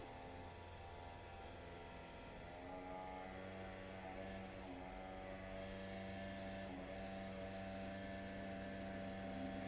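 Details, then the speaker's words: 1929 Cord L29 Cabriolet, key on after seven months' winter storage, carburetor likely dried out: steady electric fuel-pump hum with even ticking about four a second settling as pressure builds; pump sounds right. "Turn the key on. Listen for the electric fuel pump. I hear it running. I'm sure the carburetor's dried out. I'll listen for the fuel pump to build some load."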